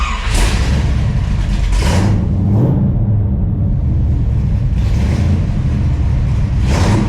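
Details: 1968 Camaro with fresh 383 stroker V8 (~500 hp) replacing the 327, on the road: strong V8 pulling cleanly through rev rises and steady cruising, no misses or rattles; running healthy.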